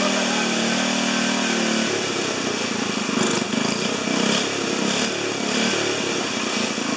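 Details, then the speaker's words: 4HP horizontal Briggs single-cylinder, first start: racing unevenly with speed surging and hunting; governor not hooked to throttle arm, so nothing controls revs. "okay for a first fire up i say that was memorable uh i forgot to connect the governor to the throttle arm so that got a little exciting"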